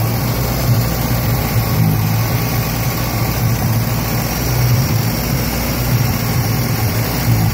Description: '76 Datsun B210, 1.4L... rough idling and dying at every stop.